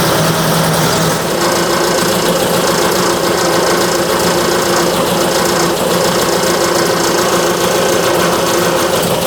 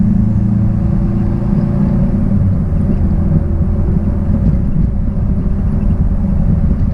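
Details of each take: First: 1966 Triumph Spitfire, rebuilt 1147cc engine, new coil fitted, timing believed off: harsh, busy clatter with uneven, lumpy idle note; rough running, cause unknown. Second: 1966 Triumph Spitfire, rebuilt 1147cc engine, driving after fuel system stripped and lines flushed: deep even drone holding steady under road rumble, no misses or knocks; normal running under load.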